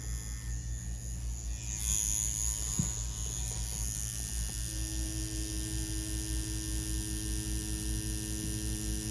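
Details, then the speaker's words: Ambition Ninja wireless tattoo machine running at 7.5 volts with a standard 7-round liner, pulling lines: steady low hum with a constant high whine that holds; motor runs smoothly and consistently under load. "However, when I do pull nice and correct lines, the machine is consistent. Nothing that I want to relay that's adverse."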